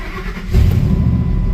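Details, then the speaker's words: 2003 Ford F-150 on its final start before return to the owner; a quick crank catches cleanly and settles into a deep, steady rumble with no misses; normal start and idle. "Oh, she beautiful. Car is like a kitten."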